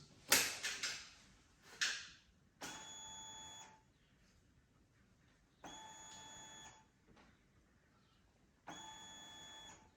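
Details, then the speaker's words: 2023 KTM 125/250/300 SX two-stroke power valve reset on the white map, wake-up connector plugged in, held at half throttle for 10 seconds then released: clicks, then three separate whirring whines about a second each; the electronic power valve is setting its min/max normally. "And then you will hear a bunch of series of little beeps and whistles and noises. And that's essentially the power valve's setting its minimum and maximum allowed value because it's electronically controlled."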